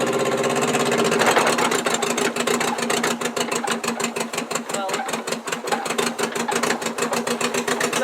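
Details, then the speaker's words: 1959 Morris Minor 1000 at idle: choppy, uneven pulses with regular gaps where a cylinder drops out, a misfire from a bad number two spark plug wire; strong smell of unburnt fuel. "okay so we have diagnosed the problem as to being a spark plug wire the number two spark plug that wire is bad uh and you can definitely hear the misfiring"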